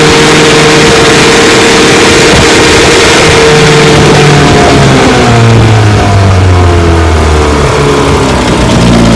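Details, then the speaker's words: 1954 Johnson QD-15 10 HP outboard after full restoration (lower unit seals, pressure test, magneto rebuild), under way at about 17 mph on a 14-foot craft: loud, crisp two-stroke buzz holds steady, then pitch drops and settles smoothly; pumping water well, cool, healthy. "Yeah, she's pumping water real good. She's cool. Sweet, sweet motor."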